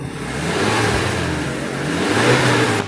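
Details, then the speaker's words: 2012 Suzuki Carry Futura 1.5 pickup, used and about 90% original: engine dry with no oil seepage, started and revved lightly; smooth, even sound with no metallic piston or ring noise and no smoke. Normal, healthy engine. "suara dari mesin masih alus nggak ada suara metal gitu ya Nggak ada suara metal seher atau ring seher atau suara kasar itu biasanya kedengeran"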